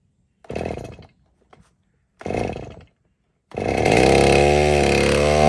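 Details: Chainsaw after tune-up following two years unused: two short pull-start rasps, then it catches and settles into an even, steady buzz; starts readily and runs fine.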